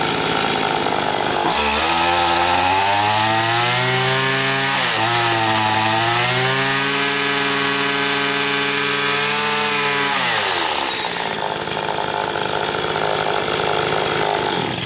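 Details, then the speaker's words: Stihl FS80 two-stroke trimmer after carburetor rebuild and ultrasonic cleaning, low-speed screw turned out 7–8 turns while chasing a bog; buzzy run rises then sags and wavers at full throttle, never holding crisp top speed: loss of high-speed power. "It's like 7 or 8 turns out now, like the screw's almost out, so technically this circuit shouldn't make a difference with the way a high speed runs."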